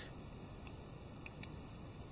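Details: Cheap Bei Nuo Chinese quartz dress watch: a faint, sharp tick about once a second in a quiet room, noticeably louder than it should be.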